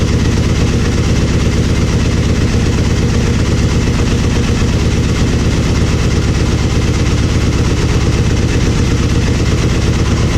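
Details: Aprilia Mille R V-twin idling after fuel pressure regulator and adjuster removal and cracked vacuum line repair: even, steady low thump, no knocks or misses; fuel pump whines until pressurized, then sounds fine, normal idle.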